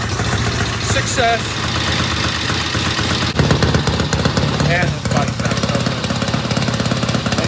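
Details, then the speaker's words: 1972 Norton Commando Combat parallel twin idling after new 3-phase rotor and stator install and cleaned clutch plates: steady even firing pulses with light metallic rattle on top, attributed to the stator; runs fine. "And that noise we're hearing is just the rattling on the Stator."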